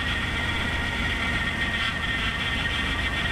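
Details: 1975 Chevy square body dump truck, first start after brake work, idling while the wheel is turned left and right: thin constant whine over the idle; owner thinks the power steering pump might not be happy.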